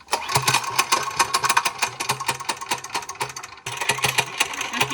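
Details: Mini bike reassembled after something let loose, now without its compression release: rapid sharp metallic ticks over a fast-firing small engine beat; pinging noise while running, cause not found.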